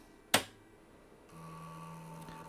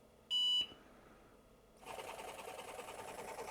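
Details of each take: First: IBM 7496 second 720K floppy drive, heads moved fully forward, then the switch flipped: a sharp click and a short steady buzz as the heads step back to track zero. This is normal seek behaviour. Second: IBM 7496 Executive Workstation, IBM PS/2 720K floppy drive after blowing magic smoke, at power-on: a beep, then a steady buzzing whir as the motor turns but the heads don't return to track zero. The owner suspects a blown component powering the stepper.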